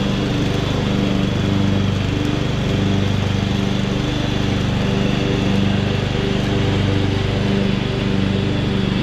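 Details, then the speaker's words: 2014 Ariens (Husqvarna) 42-inch-cut riding mower, revived from scrapyard parts machine, cutting grass under load: steady, even engine drone holding speed, no misses, knocks or surging; runs healthy, only needs a couple of small things. "this mower turned out really good it's it's running good it just needs a couple little small things"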